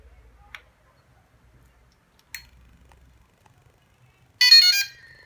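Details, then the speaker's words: DJI Inspire 1 drone at power-up: two faint clicks, then a half-second musical chirp from all four motors, leaving a thin high whistle; the owner is unsure whether this is normal. "en estos motores los cuatro hacen un ruido cuando arrancó el aparato como un silbido"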